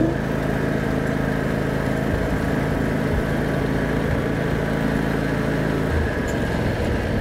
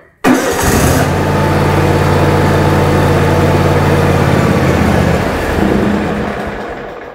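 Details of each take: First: 2006 John Deere X320 riding mower (1,500 hours), after carburetor solenoid replacement, on a test drive: the single-cylinder engine runs smoothly through the full throttle range with even firing and no surging or misses. Normal running. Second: 2006 John Deere X320 riding mower, about 1500 hours, bought not running: catches and idles steadily a few seconds, then sags and dies. Owner suspects an electrical fault, likely the electronic control module under the dash. Engine stalls after starting.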